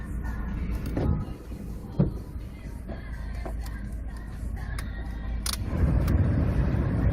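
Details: Rover 25 engine: low drone with sharp, slightly uneven knocks at about four per second; engine knock, cause unknown.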